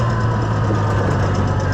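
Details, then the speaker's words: Oliver 1650 tractor on a test lap after a governor repair, with gauges not working: a steady, even engine note that holds speed without hunting and picks up well. The governor is working properly. "Yeah, listen to it, it even picks up there. That's good."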